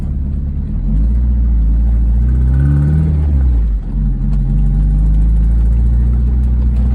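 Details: 1998 MGF VVC idling then revving: faint ticking and a brief high squeal from an exhaust manifold leak; tightening the manifold bolts stopped the squeal, ticking reduced; oil low, topped up with 10W-40 without change.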